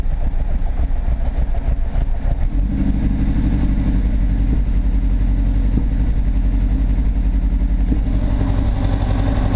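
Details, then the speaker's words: Mk1 Ford Fiesta XR2 with Jenvey throttle body and Omex 600 EFI: low lumpy running with irregular stumbles instead of an even pulse. Misfire persists; owner suspects borderline-sized injectors aimed unevenly into the ports. "no that's full throttle this is still got the misfire yeah kind of sorting it out"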